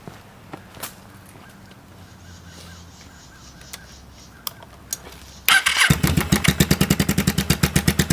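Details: 1995 Kawasaki Vulcan 750 V-twin at idle after replacing cam chain tensioners with manual ones: fires after a few clicks, loud lumpy evenly spaced mechanical clatter persists; source unidentified.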